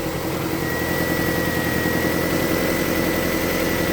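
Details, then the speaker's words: Toyota Camry idling smoothly with an even hum after repair. The rattle was traced to the crank timing pulley, whose keyway was slightly clearanced, not the idler. No rattle or knock now. "I don't hear it. >> I don't either. It sounds like regular engine stuff now."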